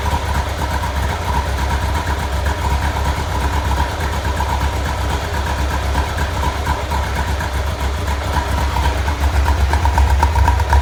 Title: Rough idle